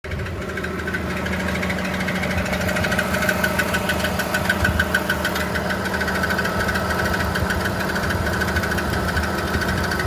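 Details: BMW E46 330i automatic petrol engine idling with a steady knock of about three beats a second over its hum; the cause of the knocking is unknown.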